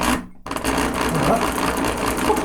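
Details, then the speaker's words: Thrift-store Singer sewing machine (missing its light bulb): a rough, rattly whir with a scratchy edge that doesn't sound good. It seems dry and in need of cleaning and lubrication. "doesn't sound good. No, it doesn't."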